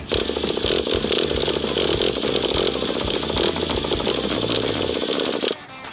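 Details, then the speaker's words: Restored nitro RC truck on first start attempt after priming: high buzzing crank spins hard about five seconds then cuts off without catching; won't fire, owner feels it needs more priming. "feel like we need to prime it a little more"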